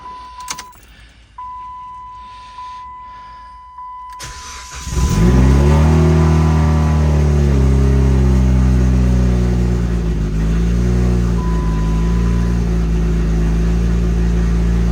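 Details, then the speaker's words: Dodge SRT-4, started after the rear end build, with a straight pipe exhaust: a door chime beeps, then the engine cranks, catches and revs before settling to a deep, steady idle, with the cam more audible through the straight pipe. Normal start. "Sounds so much better with that exhaust. It's just a straight plate. You can hear that cam a lot better with the straight pipe."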